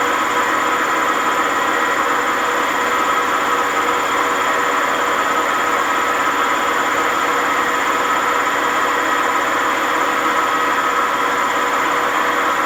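High-speed spin with a loud continuous roar and a steady whine throughout, no letup; worn drum bearing.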